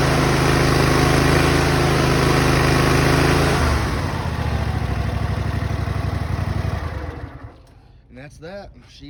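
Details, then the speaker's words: Exmark Lazer Z mower with a newly replaced engine: steady, even low thrum at idle with no misses or knocks, then it winds down and stops; normal idle. "i'll go ahead and do start it up right quick oh i put the brake on okay idle's great"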